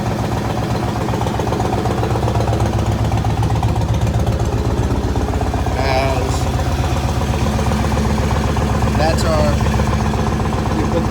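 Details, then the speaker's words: Yamaha Raider V-twin after starter cables replaced, long-standing hard-start issue: started instantly, even loping idle with no stumbles or rattles, running smoothly. "running beautifully"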